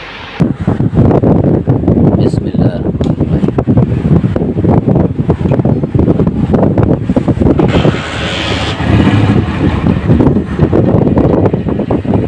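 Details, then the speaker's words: 2007 Honda CG 125 single-cylinder after full restoration, carburettor washed: deep, steady thrum with an even beat, no knocks or rattles, slight wind; healthy normal idle. "दोस्तों ये bike मैंने start कर दी है, माशाल्लाह बहुत प्यारा sound है। आप ये देख सकते हैं कोई भी आवाज़ नहीं किसी भी किस्म की।"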